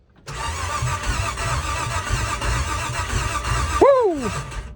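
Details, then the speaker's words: Vehicle cranking after ignition rewiring with the driveshaft out: steady churning crank for about three and a half seconds that never catches, then the starter whines down; turns over but won't start. "Got lights on the dash. Oh. It wants to. Something's stopping it though."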